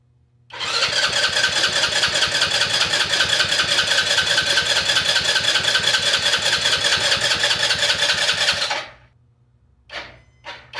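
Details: Custom Icebear Maddog scooter with 171 big bore kit and custom exhaust, carburetor rebuilt, fresh fuel after stale gas, battery charged: about eight seconds of fast starter churning, two or three beats a second, with no firing.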